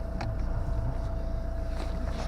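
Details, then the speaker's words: Ford Mondeo Titanium diesel with a 6-speed gearbox, just started. Short stretch of low, even diesel clatter with a faint steady tone on top, no misses or knocks. Engine idles nicely and evenly: normal diesel idle. "spróbujmy sprzęt a odpalić wizerunek Patryk i chodzi silnik pracuje Ładnie równo"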